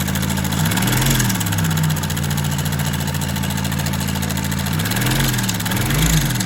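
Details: Honda motorcycle: a fast, light metallic rattle over the idle swells with each throttle blip. The cam chain was found slack; poor engine lubrication was also noted, with the oil pump suspected.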